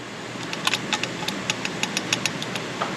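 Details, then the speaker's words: Turbo engine that wouldn't build boost after a seized wastegate actuator was replaced; irregular light metallic ticking, about a dozen sharp clicks in three seconds; worn old turbo's wastegate flap has excessive play and won't seal, turbo replaced. "hen so guys here's the failure see this wastegate flat a lot of play look at that that's a lot of play in that and what that does it's causing this not to seal against that"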